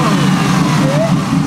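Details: Chevrolet Camaro ZL1 1LE at its first startup after 10 months off the road, with a new battery and 9-month-old gas: engine catches and revs cleanly with a brief rising pitch and no stumble. Sounds healthy.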